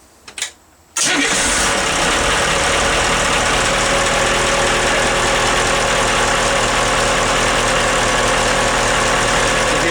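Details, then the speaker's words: Boat starboard Caterpillar diesel with freshwater closed cooling and fuel-water separators, started after a new starter solenoid was fitted; brief crank catches almost at once, then a smooth, steady, even idle with no misses or knocks. "how smooth that runs and it just pops right off soon as you turn the C"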